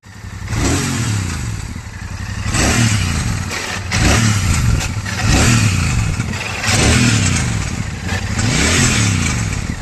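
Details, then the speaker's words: Royal Enfield Super Meteor 650 twin at 12,740 km, revs rising and falling every two seconds with a tinny clatter on top; something has broken inside the bend (header) pipe, which is to be replaced. "Something has broken down inside this ben pipe. So it's making uh some irritable noise."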